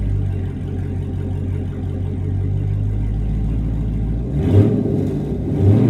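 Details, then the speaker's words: Vehicle with about 3,000 miles and deleted mufflers, after greasing the active exhaust flow valves with white lithium grease: steady exhaust drone with throttle blips and no squeal; valve squeal fixed. "all right so take my word for it the noise coming from the valves the squealing noise is now gone there is no more noise so all I gotta say is it did work"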